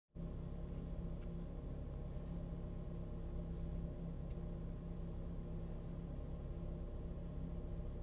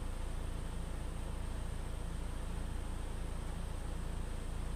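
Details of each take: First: 2013 Ford EcoBoost 1.6 L petrol engine idling: deep rumble wavering unevenly, unstable rough idle from a dirty mass air flow sensor, fixed by cleaning it, lowering idle rpm. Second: 2013 Ford EcoBoost 1.6 L petrol engine idling smoothly with a low even pulse and steady speed after cleaning the mass air flow sensor cured a rough idle.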